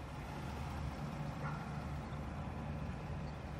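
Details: 2021 Ford Bronco 2.7 at a complete stop with the engine still running: a low, smooth, even rumble with no stumbles or knocks. This is a normal idle.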